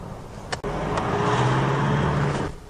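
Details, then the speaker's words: On a road test uphill after smoke-machine diagnosis of an engine squeal and rough idle: engine note rises steadily under hard load in second gear, no chirp or squeal; quiet and running clean under load. "load up the engine and see what it sounds like that sounded pretty quiet then didn't it"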